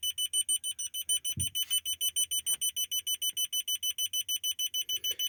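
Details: Honda Civic G8 reverse parking sensor with original buzzer in the rear trim, after the fix (plastic piece fitted against interference): clean, rapid beeps about three a second, clear high tone, no hiss.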